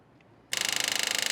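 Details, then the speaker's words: 1979 Jeep Cherokee parked over 20 years, electric fuel pump powered with a direct battery ground added; harsh, high buzzing chatter about twenty-five times a second, still sounds horrible and needs replacing; failing electric fuel pump. "Oh, no. It still sounds horrible. This thing needs to be replaced."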